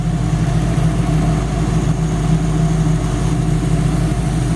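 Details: 1933/34 Ford complete running chassis and engine at idle: steady, even low rumble with no knocks or ticks, oil pressure about 50 psi; healthy-sounding engine.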